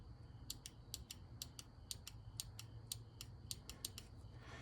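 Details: Injector from a Ford 302 in a Bronco with a hit-miss idle, bench-tested with spade terminals: crisp, sharp clicks about three or four per second over a low hum as the solenoid actuates; it atomizes nicely, so the injector is good.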